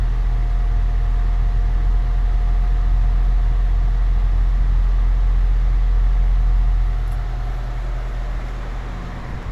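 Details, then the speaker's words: Air Wizard Pro 20-inch wall fan on medium: steady hum with a thin constant motor whine that holds one pitch and doesn't fade; blade also out of balance. "You can hear the whining. Hopefully you can hear it. It doesn't go away. It stays like that."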